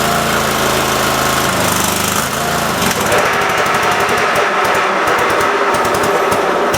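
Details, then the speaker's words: Cub Cadet mower engine after carburetor screw refit, PTO engaged and spinning blades: loud uneven chatter that stumbles and misses; runs fine briefly then starves, owner suspects leaking fuel solenoid drawing air, unconfirmed. "well crap all right back to the drawing board but the PTO does engage and spin the blaze I just got to figure out why this is uh not running right"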